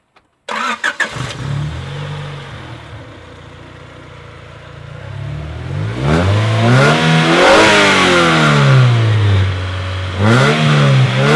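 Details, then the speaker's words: Honda Prelude daily build after valve lash check and cam gears, first start after reconnecting a missing ground; catches right away, settles to even idle and pulls cleanly through throttle blips with no misses; healthy. "so yeah that's basically it it's running pretty good"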